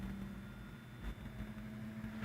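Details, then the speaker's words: 1931 Emerson desk fan, Model 29646, on the repair bench with temporarily connected speed wires, still uncleaned. Low steady hum with an even whir and no rattles on medium speed, drawing 820 mA and 58 W. Normal fan motor running. "our medium we're drawing we're drawing 0.8 ohms I am so 820 milliamps and 58 watts so you see it's running fine"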